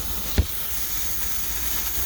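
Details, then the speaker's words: Motorcycle tyre after plugging a puncture with a kit while deflated: a thin, steady hiss of air escaping past the plug, which hasn't sealed; tyre needs replacing. "well it sounds like we've got a leak so i don't think uh this slug has worked so let's just keep going and see what happens"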